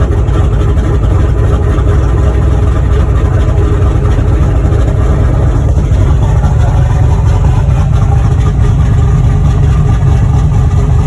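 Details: Boosted V8 black truck, freshly rebuilt after a head gasket blew at 11 psi boost. Loud, deep, even idle with a steady lumpy burble and no knocks or ticks; the fresh engine runs healthy.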